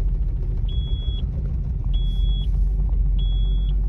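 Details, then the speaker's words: Nissan Xterra cold idle: lumpy, uneven running and shaking with door chime beeping; scan shows random multiple-cylinder misfire and knock sensor codes. "code got four codes man three incomplete read the the codes knock sensor random multiple misfire which is bad"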